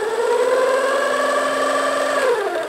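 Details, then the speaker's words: 1990s Kenmore sewing machine: steady electric motor whine at one pitch with no stitching clatter; motor runs but needle does not move, sometimes grabs in reverse; fried gearbox suspected, not confirmed. "you place this thing you hit go up down and then you start you hold it and what in this case is nothing happens"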